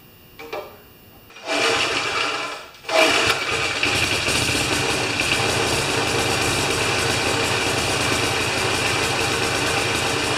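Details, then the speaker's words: Older Briggs & Stratton mower after carburetor adjustment screw turned a half turn: catches briefly, dies, then restarts and settles into a steady, even buzzing run without surging or stumbling; normal running, good start. "[Music] all right that's great it's a good start"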